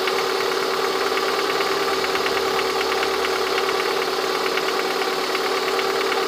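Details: Lada 21126 engine at steady idle with a sharp, light ticking knock keeping time with the engine, heard most clearly near the end of the recording; the owner asks what the sound is, source unclear.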